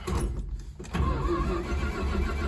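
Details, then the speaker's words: 1972 Dodge Dart Swinger with 273, restarted after sitting a while: short crank, catches quickly, settles into even rumbling idle, smooth with no knocking or ticking; healthy start and run. "Yeah, but you can hear it. It's smooth. No knocking or ticking sounds at all."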